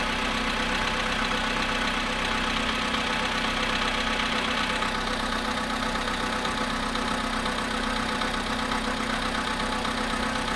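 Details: Volkswagen Polo sedan at 0.5 °C after standing 13 hours, cold idle: rapid light tapping about four per second over a steady idle; engine knock, cause unknown.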